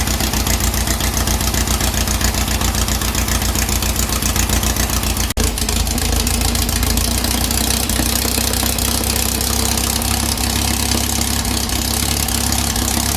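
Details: 2332cc "Dust Buggy" bug on a cold-start day after its carbs were cleaned. It was rough and missing until the mixture screws were set, and "that's better" follows. Steady, even idle with a firm low thrum and no missing or hunting beats: normal idle.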